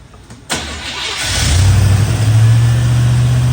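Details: Chevy square-body barn-find truck, automatic, 305 (5.0) V8, started after PCV breather work and tune-up: catches quickly after a short crank and settles into a steady, even idle with no stumbling or loading up; running much better than before.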